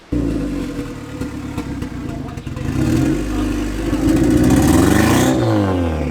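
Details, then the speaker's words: Turbo Acura TSX that blew gaskets, running rough after work, with the owner reporting injector trouble; engine revs with an uneven, stumbling beat; misfire suspected, not confirmed. "sounds like a misfire"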